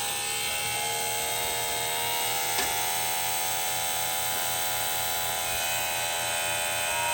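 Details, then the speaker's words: Small plug-in water pump for van shower from 7-gallon jug, no on/off switch: loud harsh drone with rough buzzing pulse about three per second, barely moving water; owner suspects it wasn't snapped in tight enough, works after reseating. "Okay, well it flows water, but I think oh man, this thing is messed up."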